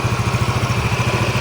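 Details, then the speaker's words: Yamaha Mio MXi 125, one month after overhaul with new connecting rod, cylinder block and side bearing, started with one press: steady even single-cylinder idle putter, about fifteen pulses a second, no knocks or ticks; healthy. "So pandarin natin, pakinggan natin. Yan, one click lang. So ito yung andar ng kanyang makina."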